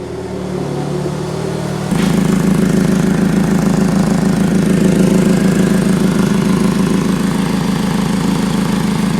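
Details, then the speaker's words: 2015 Ford Focus, engine idling, heard from underneath: rapid puffing tick about three pulses a second, coming and going; exhaust leak at the flex pipe, which may have been welded before, so a new flex pipe is needed. "Do you hear the difference in the tone of the exhaust leak? Kind of gone, and that was back."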